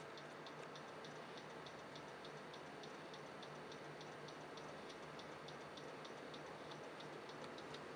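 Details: PC stuck on startup repair and not loading, with system restores deleted: sharp, evenly spaced ticks about three a second over fan hum. Owner suspects the hard drive is failing.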